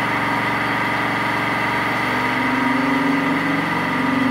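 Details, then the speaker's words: Mini metal milling machine upgraded to 1 HP servo motor with toothed L050 synchronous belt drive, 3-inch fly cutter taking single 0.010-inch pass across 2-inch-wide 6061 aluminum; steady motor hum with even cutter chatter, pitch holding without bogging; spindle healthy under load. "not too bad uh I have to warn you this is double what the machine intended to do do not do this at your house it's dangerous"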